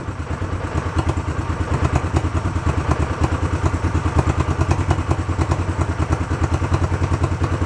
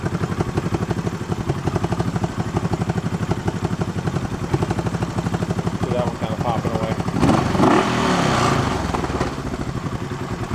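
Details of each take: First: Barn-find 1971 Honda CB350 twin, previously seized with bad carbs now sorted, sat an hour or so, not cold, started without choke; steady even thumping idle with no misses or knocks, starts nice. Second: Barn-find 1971 Honda CB350 twin, revived from seized with bad carbs. Uneven idle with sharp pops through the exhaust beat. Exhaust popping, source not yet tracked down.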